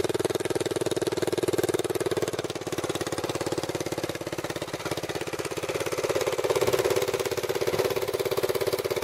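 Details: Racing four-wheeler small single-cylinder engine, water drained from tank, galvanized pipe exhaust: steady, fairly even putter at idle with slight rise near end, no knocking; normal idle.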